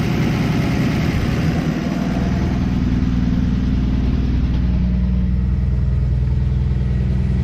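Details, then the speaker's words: 1964 Plymouth Belvedere slant six with a Holley two-barrel, barn-stored for decades, running after a new coil wire: smooth, steady low idle with an even beat and no misfires. Normal idle. "just runs so good I had heard those Holly two barrels were junk but it just runs perfect couldn't ask for"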